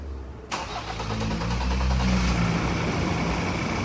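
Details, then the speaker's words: Ford Raptor diesel, warm, after replacing all four injectors following engine work: cranks, catches in half a second and settles into a smooth, even idle with no misfire or rattle, smoother than before. "โอ้โอ้เหมือนได้รถใหม่เลยนิ่งกว่าเมื่อวานอีกนะครับนิ่งกว่าคลิปที่แล้วนะครับ"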